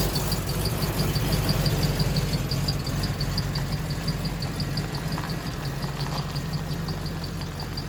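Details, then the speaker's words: 1986 Chevy K5 Blazer, new long block after a blown head gasket, freshly started with timing set: steady, even low idle rumble with a faint, regular light tick on top; settled and running smoothly. "I have the timing set everything's good to go start it up see how smooth it is"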